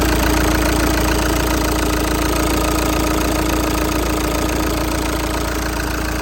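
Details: Audi A5 2.0 TDI with about 230k miles and its original turbo: diesel idle with heavy clatter and a steady droning tone from the failed turbocharger.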